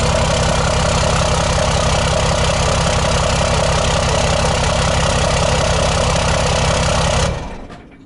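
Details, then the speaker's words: 2008 Ford F250 Super Duty with swapped 5.9 12-valve Cummins diesel, first run: even, steady diesel clatter at idle with no misses or knocks until shutdown; normal idle. "That is the first time I've heard this truck run."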